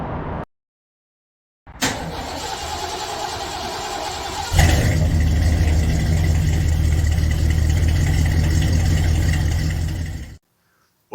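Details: 2014 Gen 3 Toyota Prius petrol engine starting and settling into a steady, even idle with no rattle, after the owner's repair of the knocking and shaking; owner chose to ignore a possible head gasket issue.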